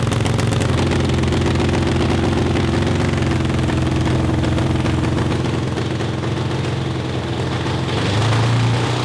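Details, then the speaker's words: Honda CB750 750cc four-cylinder cross kart after swap to dual 34mm Mikuni carburetors on PVC intake manifolds: even steady burble at idle with no stumbling or misses; steady idle, while high-RPM breakup under load was the ongoing problem. "it doesn't sound awful and it sounds like it's idling so i mean in a weird way that's victory"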